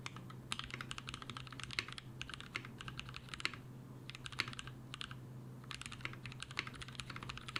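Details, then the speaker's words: Mechanical keyboard switches lubed with a T2+T3 mix of Brazilian laser-printer fuser grease, a possible Krytox replacement; quick, soft, even key clicks with no scratch or ping over a faint low hum, smooth and well lubed. "alright guys I think we did find a replacement it feels like it was lubed"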